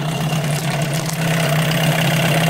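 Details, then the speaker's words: 1988 Johnson Evinrude 6hp short-shaft outboard that ran then stalled, after swapping its plastic-top carburetor for a metal-top one: steady, even buzz at constant pitch, no misses or surging; now runs smoothly. "it's the second one I've ever had out of the 40 Outboards I've played with and change the carburetor boom motor runs like a champ"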